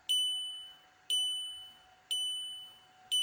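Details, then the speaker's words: VW Jetta Mk5 instrument cluster on the bench through a homemade bench connector cable, gong output test: a clean, bright two-tone ding repeating about once a second and fading evenly; the chime works normally. "As you can hear that the gong is working."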